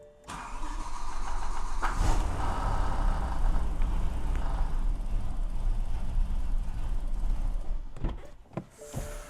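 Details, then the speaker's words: BMW E92 M3 with an S85 V10 swap on a MaxxECU, started after writing a new map file: cranks, catches, runs lumpy and uneven for several seconds, then dies; rough start and stall. "Right, well that was not very happy compared to last time."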